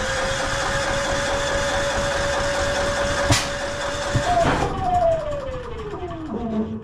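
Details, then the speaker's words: Yamaha EF4500ISE generator, electric start, 61 hours, carburetor previously cleaned by a friend, runs rough and dies under load: steady hum then sharp exhaust pop, speed sags and wanders; extremely rough, likely fuel-starved carburetor issue. "hear that kind of almost pop out of the exhaust. Now it is running, but it sounds extremely, extremely rough and almost like it's either choking out or not quite getting enough fuel."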